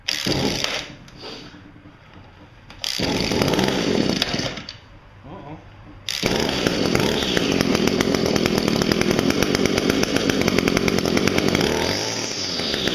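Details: Echo two-stroke trimmer, cold start after storage, 7-month-old 40:1 premix fuel in tank, primed and choked: after a few sputters catches and holds a steady, even high buzz with no misses; healthy cold start.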